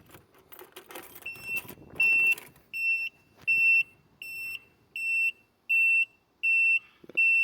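Steady high-pitched beeps about once a second with the key on and the engine off; a warning alert whose cause is unknown.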